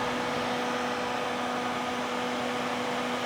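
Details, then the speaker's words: Repaired Husky Pro air compressor with an added cooling fan and welded cowling screwed to the head, blowing well-directed air across the fins: a steady, even whir, no rattle, scrape or wobble. Normal fan operation. "it's blowing really hard lots and lots of air as I said I would really I think that don't think the flywheel produced that much air and it's really well directed"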